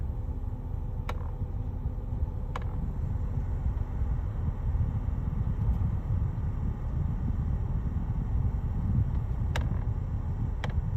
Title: BMW X5 F15 AC Clicking and Creaking Noise